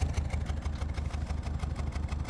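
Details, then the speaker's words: One-owner Chrysler PT Cruiser GT, 2.4 L turbo, at idle: steady low thrum broken by regular stumbles about six times a second, a bad misfire; owner suspects spark plugs, not confirmed. "I don't know if you guys can hear that but it's misfiring super bad"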